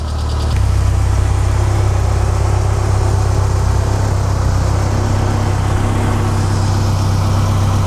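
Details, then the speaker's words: MK2 Golf GTI (KR 16v) after the cutting-out fault was fixed with replacement HT leads cobbled from a Lupo GTI, wiggle-tested: deep, even idle holds level for eight seconds with no cutting out or misses. "so there we go she is running and she's not cutting out amazing"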